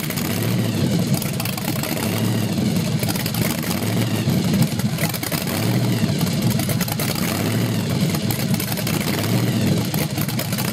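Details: 383 stroker small-block Chevy on a run stand, first startup: 6-71 blower at 8% underdrive, twin Carter AFB 500 cfm carbs, 8:1 compression, 93 octane. The blown V8 idles lumpy and surges and sags every couple of seconds; lean fuel starvation suspected, timing confirmed right.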